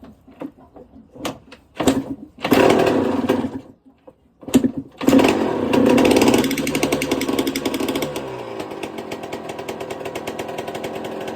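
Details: 1999/2002 Yamaha YZ125 converted to YZ144 two-stroke, first start after full restoration, long-sat, carb rebuild kit, float had leaked but not dripping: a few kicks then fires into a crisp ringing idle that settles evenly; healthy running.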